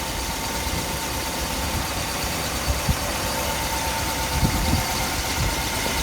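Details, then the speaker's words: 1959 Ford Fairlane 500 Galaxie Skyliner under the hood: a steady, even warm V8 idle with a light, regular valve-train tick that the phone mic exaggerates, and no knock. It runs smooth but needs to be driven. "the motor is definitely for blue like I said it runs pretty good definitely needs to be driven feel a little bit over as well run smooth"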